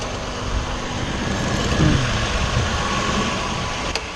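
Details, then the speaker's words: 2009 Nissan Murano at idle after repair of a major power steering leak (high-pressure hose and washer replaced, system bled, no leaks): even idle hum with a faint steady pump tone, no whine or groan; power steering sounds healthy. "Got the high washer, steering hose changed, no leaks, system's bled, steering's working great, feels good, sounds good."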